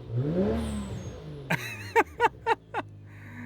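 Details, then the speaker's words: Lexus SC300 with 1JZ-GTE turbo engine, warmed up a little; engine revs up cleanly and drops, then several quick airy chuffs as the blow-off valve vents normally. "oh my God that that sounds like the 9s it revs clean though revs really really clean"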